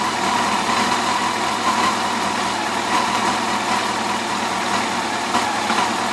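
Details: 2004 Yamaha FJR1300 motorcycle four at idle: light, quick ticking riding over the exhaust note; source of the tick not pinned down.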